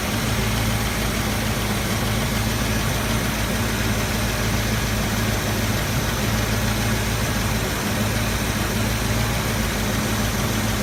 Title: Exhaust leak